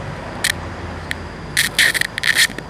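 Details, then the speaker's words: Bluetooth speaker before repair, no music playing: constant hiss with sharp irregular crackling bursts; technician thinks the amplifier IC has deteriorated and plans to replace it. "ค่อยคิดว่าอาการให้เกิดจากICขยายเสียงบุหรี่มีICขยายเสียงเสื่อมสภาพ"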